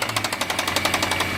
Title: C63 Loud Engine rattling noise